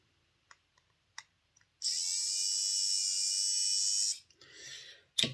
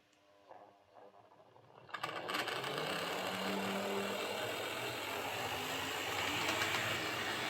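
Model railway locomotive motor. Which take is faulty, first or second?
second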